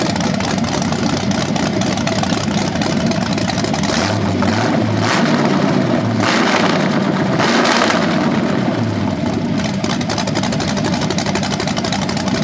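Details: BluePrint 396 big-block crate engine for a 1970 Camaro SS, first run after oil priming and a timing check: lumpy idle with a couple of clean revs settling back. It sounds healthy, though the owner notes the flywheel or headers sound different revving.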